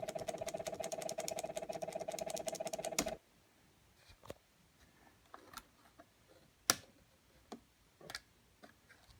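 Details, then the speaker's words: Compaq LTE 5000 laptop speaker: fast ticking stops, then faint pops and crackling as it de-energizes and powers up; owner hopes the sound isn't faulty. Speaker crackle. "you can hear that little like when it de energizes you can hear it when it pours up too hear the crackling hope there's not a problem with the sound"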